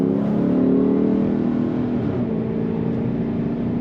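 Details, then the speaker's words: 2013 Dodge Challenger R/T Classic V8 on a test drive with the temperature gauge mid-scale. A throaty, even exhaust note from the tailpipes under hard throttle, with no rattles or misfires. Engine and exhaust are healthy. "you can hear that throaty exhaust note come out the tailpipes. As always, the funnest part is pushing that throttle."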